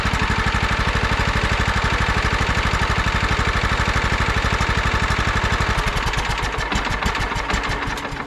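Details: 2001 John Deere LT133 lawn tractor, 13 hp single-cylinder, key start restored after electrical repairs: steady, even thump at fast idle, no misses or knocks, then slowing as it winds down; normal running.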